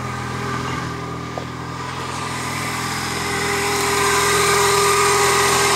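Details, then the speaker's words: 1999 Toyota Corolla 1.8, engine still cold, idling then in gear: steady knock about four times a second, more knock-like at lower engine speed, stopping when the wheels turn; power steering pump pulley knocking. "there it is yeah it sounds a little more like a knock when the engine's slower so I I put it in gear you can tell when the wheels turned the noise stops after a while starts to sound like a knock the engine's still too cold so"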